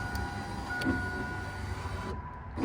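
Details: 2000–2006 Chevy Tahoe driver's front window motor and regulator, newly installed and tested before bolting to the glass: smooth, steady motor whine for about two seconds, then a clean stop; operating normally.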